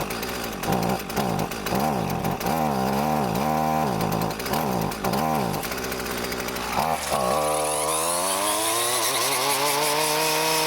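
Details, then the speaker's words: Husqvarna 128CD two-stroke trimmer, curb find, after replacing parts, still smoking a lot: surging and hunting unevenly, revs wavering before climbing; still running poorly, owner suspects the carburetor is untuned. "Well, she's still not happy."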